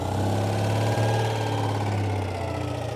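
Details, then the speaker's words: 1985 Citroen 2CV6 Special two-cylinder barn find, first start after long storage with oil ladled into cylinders and electronic ignition set; deep, even burble at settled idle, no misses or knocks, a bit of smoke from the oil. Healthy idle. "that sounds lovely there you go bit of smoke that'll be the oil that we put down it that sounds really nice yeah it does sound sweet doesn't it we finally got it got it going well done"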